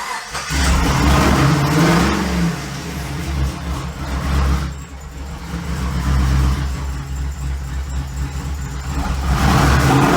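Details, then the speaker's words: 6.0 LS V8 from a 2008 Pontiac G8, swapped into a 1950 Chevy chassis with race parts, not yet tuned: lumpy, uneven idle that surges and dips with a deep rumble; rough idle blamed on the big lumpy cam and the lack of a tune. "the good news is Big lumpy cams are known for not idling great and since I haven't done any tune yet that is 100% my problem"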